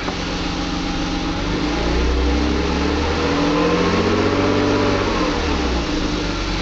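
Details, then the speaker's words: 1997 BMW 528i E39 (M52 petrol) idling and lightly revved after replacing both squealing belt tensioner/idler pulleys: smooth, no squeal at all. "Alors je suis content parce que j'ai plus du tout de couinements. Les galets couinaient et là j'ai aucun couinement. tout à l'air de bien fonctionner."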